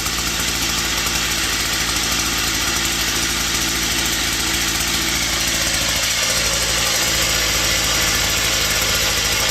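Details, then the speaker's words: Used Japanese three-row rice-paddy weeder with a Yamaha two-stroke engine on premix fuel, propped on a rock: steady smooth buzz under light, moderate throttle, easing slightly at the end; starts easily and runs healthy. "เร่งเครื่องหน่อยนี่เรายกวางไว้บนก้อนหินนะครับเร่งแรงก็ไปแรงนะเร่งพอประมาณนะครับ"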